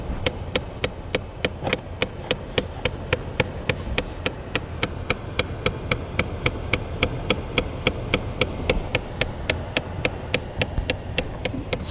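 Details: 2008 Chevy Impala: a sharp, steady clacking about three times a second from behind the dash comes and goes; it is the AC blend door actuator skipping its gears, and the actuator is to be replaced.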